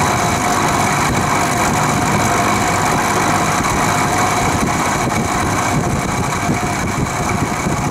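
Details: Vintage Penncrest (rebranded Lakewood) 20-inch 3-speed box fan on low/medium after motor drowned in WD-40: slightly quieter but coarse diesel-like rattle about three per second persists over hum; cause unknown, owner suspects worn bearings.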